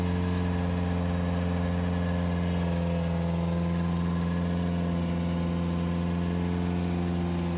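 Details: 2007 Subaru WRX with STi engine swap, first official startup after install, held around 2500–3000 rpm for about 15 minutes to break in the engine; steady, smooth fast-idle hum with no misses, knocks or surging, running healthy.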